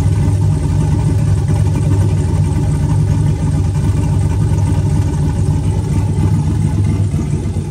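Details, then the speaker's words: Turbo 4.8 V8 Blazer, Trick Flow 216/220 cam, warming at 130 degrees, idling down toward about 750: deep, steady idle with mild rolling lope, no knocks or misses, no distinct chop; healthy. "starting to idle down it's got a noticeable like idle to it but not a real distinct chop"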